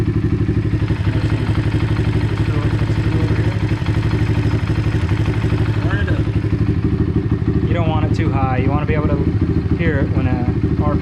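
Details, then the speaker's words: Apollo RFZ DBX18 125cc dirt bike with upgraded carburetor quick-adjust mixture screw: steady single-cylinder idle, speed rising and dropping as the mixture screw is turned to find the highest RPM. "hear the RPMs drop and start backing out if you if I starts dropping again from turning it down you went too far so just listen between those two points your highest rpm and you'll get the right setting"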